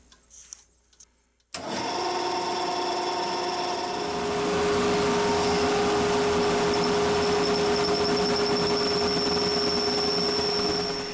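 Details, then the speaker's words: Drilling a pen blank on the lathe under power feed: a steady high squeal over the lathe hum as the bit feeds in, caused by the drill bit riding on its bevel instead of cutting. "if you're listening closely you can hear it squealing you know what that is well I'm going to be telling you in a minute well I found out what my problem was those of us who are Turner's will know what I'm talking about here when I say the drill bit was writing on the bevel this bevel here"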